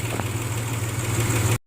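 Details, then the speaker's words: 2002 Nissan Xterra 3.3 V6, 200-some thousand miles, after replacing faulty fuel injectors with used ones, heard at the exhaust; even solid rumble with no puff-puff misfire sound, firing on all cylinders, normal idle. "it hits the throttle she sounds really good and go back here with the exhaust is you can hear it's a nice solid rumble you don't hear that puff puff puff sound so that's what you want to hear when you have a really good running engine"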